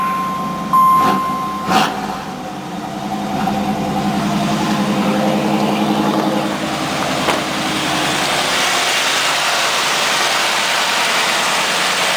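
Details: Firebird LT1 V8, under 100,000 miles, just jump-started after sitting 6 months with weak battery: a couple of sharp knocks at start, then settles into a steady, even idle with no misses or odd noises; normal idle.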